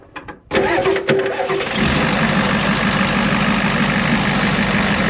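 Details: Ford F350 crew-cab bullnose dually turbo pickup with DeWeze bed, first start: starter cranks briefly, engine catches and settles to a steady even idle, no knocks or misses, little blow-by seen; normal cold start and idle.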